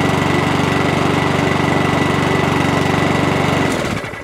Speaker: Good to go. Quick little check over. She's a runner.